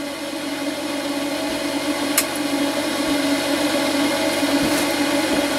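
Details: Range hood fan of a Laika Ecovip 200 I motorhome after repair: steady, even whir with no rattle or scrape throughout; the fan spins smoothly and runs normally.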